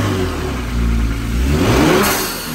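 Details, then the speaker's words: Kia Stinger GT after new HKS M45iL spark plugs and an ECU reset by disconnecting battery negative: clean smooth rev rise and fall, steady rpm, no hesitation; sounds stronger. "that sounds a lot stronger"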